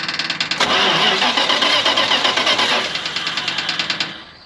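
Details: 1980 Dodge 200 truck that sat about 18 years with a known rod knock, started on a splash of fuel: right after firing, a loud metallic clack about four times a second rides over the idle, then it stalls, likely out of gas; rod knock.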